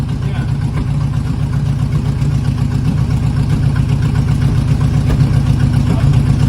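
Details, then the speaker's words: 1980 Chevy K30 Squarebody small-block 350, running and driving for the first time in years: a rough, uneven idle with a lumpy low beat, about four stumbles a second, and no grinding; a misfire, cause not pinned down. "Oh, it's got a misfire now. Nothing's on fire. Nothing's on fire. It's just misfiring, that's all."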